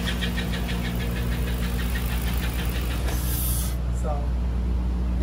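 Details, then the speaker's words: Truck at 177,606 miles, transmission binding in overdrive: steady idle with a quick high chirp about six a second, like a baby chick; suspected pulley scraping, bad pulley bearings, or torque converter/flywheel, unconfirmed. "Now with this bad boy, it's making a chirpy noise. Like somebody has putting a baby chick in the engine."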